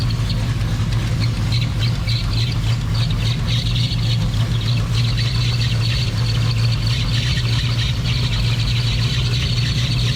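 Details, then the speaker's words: Hartley Nissan VK56 V8, 500 hp, eight independent throttle bodies, in a 1971 Nissan Skyline 2000GTX Hakosuka, first start: loud harsh smoky idle with sharp raspy ticking chatter; exhaust leaking at headers fitted without header gaskets. "So, yeah, the exhaust is off because it's got no gasket headers or anything, header gaskets or anything"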